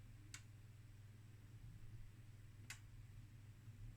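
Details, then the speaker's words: Zhaoxin/Sagitta RXN-303D 0-30V 5A bench power supply under full load, drawing about 269 W from the mains and warming up. Two sharp clicks are heard over a low hum as the thermal switch trips and the cooling fan starts. "did you hear that there was a click actually a quite a loud click and then the fan is running"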